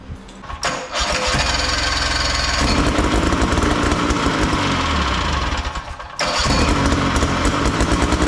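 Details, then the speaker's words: Big Max 6x6 amphibious ATV, 440cc two-stroke: it starts, then runs unevenly with a lumpy, stumbling, rich beat and dips in speed with the choke on; rough running, and the owner suspects one of the adjustments. "something still still ain't quite right here I think something there's one of the adjustments more than more than anything"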